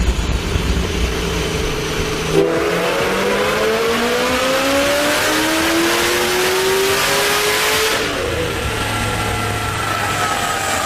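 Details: Supercharged Ford GT500 on dyno after header install, motor at 180 degrees, 93-degree room, about 716 hp: V8 climbs smoothly in pitch for about six seconds at full throttle, then lifts off cleanly; no knocks or misses.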